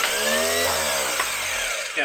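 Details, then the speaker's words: Jaguar XJ12 V12 starter bench-tested before fitting to engine: spins freely with steady even whine, smooth wind-down, no grinding or clatter; judged a good healthy starter, previously cranked engine fine in compression test. "Yeah, it's a good healthy starter."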